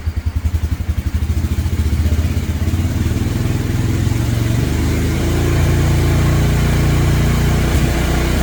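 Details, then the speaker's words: 2017 Polaris Ranger 570 EFI, in heavy rain, hard to start the day before: slow, uneven thumping as it catches, then idle climbs and wavers (about 950, then 1250 and 1200) instead of settling. Fuel pump due for removal; rough, unstable idle. "Cut off 1250. Cut off 1200. So, something's going on."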